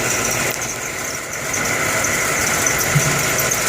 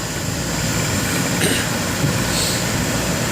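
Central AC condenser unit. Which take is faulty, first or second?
first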